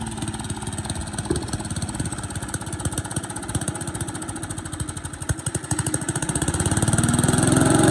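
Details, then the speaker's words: Boland's 3.5 chipper shredder, unused for at least 20 years, running on its own gas tank without starting fluid, fuel line dripping slightly: steady single-cylinder firing with slight unevenness, speeding up toward the end; runs on its own, normal. "But it ran off its own fuel source and only leaks a little bit of gas, so it's only slightly likely to, you know, just catch on fire."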